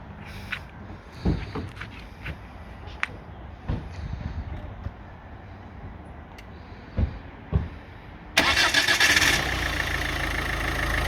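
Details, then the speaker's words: 2008 Ford Focus 1.6 66 kW, timing chain/belt recently replaced: the engine cranks, catches quickly and settles into an even, steady idle with no knocks, no extra noises and no hunting revs, and the exhaust doesn't smoke. Normal idle. "працює рівно ніяких лишніх звуків немає обороти не плавають"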